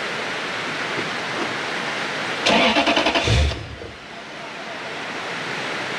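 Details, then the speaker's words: Lexus LS430 with its original ECU plugged back in after another ECU was aligned to the car: brief starter cranking with no firing. Crank-no-start from immobilizer lockout. "a no. That's a no. That's a hard no. That's a hell no."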